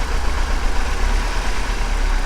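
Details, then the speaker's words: 2007 Chevrolet Silverado with a check engine light and a cylinder 3 misfire: low, uneven, stumbling idle. Swapping the ignition coils moved the misfire to cylinder 1, confirming a faulty ignition coil. "we're all plugged back in still running rough let's try this out again i'm gonna pull this again on cylinder three oh"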